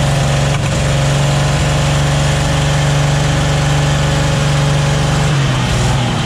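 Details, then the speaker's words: 1944 Chevy Blitz WW2 army truck, restarted after its first start in 30 years and a radiator fill: the petrol engine settles into a steady, even idle with a low firm beat and no knocks or misses. Healthy normal idle. "we're just cleaning out the cobwebs i've been here is running a lot better now"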